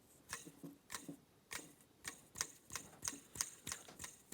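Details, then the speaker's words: Dirt Devil hand vac motor with the fan removed, turned by hand: sharp, dry, unevenly spaced ticks about three a second from a rough-sounding bearing. The owner had considered greasing it and now plans to replace the bearing. "the bearing doesn't sound the best so i am thinking about getting a new bearing for this"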